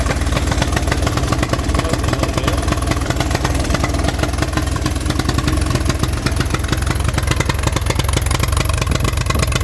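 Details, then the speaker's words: 1983 Honda 200E three-wheeler, first start on a new battery with a little fresh gas: loud single-cylinder chugging at fast idle with uneven stumbling beats and clatter; rough running, owner suspects the air mixture screw needs adjusting. "Sounds like I gotta do some adjustments on an air mixture screw probably."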